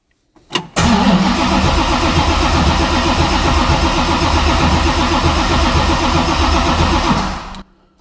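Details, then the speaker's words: 1966 Mustang Fastback, new 347 stroker V8 with T5 transmission, before first start with coil wire disconnected; even starter churn about four compression beats a second for six seconds, no binding or clunks; normal cranking. "all right everything turns over"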